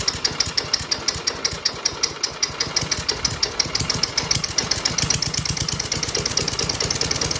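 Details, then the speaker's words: 1994 Murray lawnmower, 3.8 hp Tecumseh TVS90 single-cylinder with new replacement carb after 20 years stored, popping slowly with skips and uneven beats; idle set too low, before adjusting the carb idle screw. "So it's running, but you can hear it skip a little bit, and the idle just isn't quite high enough."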